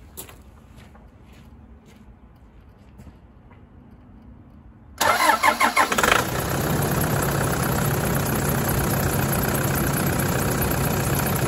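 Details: 2008 Toyota 120-series 1KD diesel with brand-new engine, turbo and injectors, cold start on a roughly 5-degree morning: cranks, fires, loud clattery idle with steady rapid knock, normal until warmed to about 83 degrees; aftermarket timing belt, bearings and pulleys add noise.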